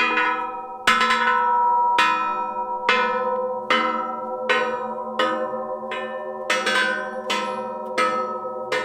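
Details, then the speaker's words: Case 770 tillage disc, each blade struck while checking: about eleven sharp strikes, each ringing clearly with no dull thud, meaning every blade is tight and in place; a thunk would mean a loose blade. "we're moving them through the field hear that vibration that ringing that's what we're looking for that tells us that this blade is tight and in place"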